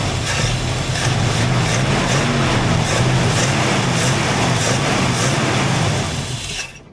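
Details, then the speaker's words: 1968 Ford Mustang barn find, off the road 30 years, with a wonky carb: holds a steady, self-sustaining idle with an even low rumble and no stalling or misses; now running on its own, so the fuel pump works. "It's running on its own. Look at that. No way. Fuel pump is working."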